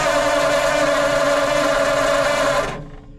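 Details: 1940s Ford flathead V8 truck, sat 10+ years, cranked via solenoid button with battery on mudguard and jerry-can fuel: starter grinds with steady whine briefly, no firing; no spark traced to the ignition coil.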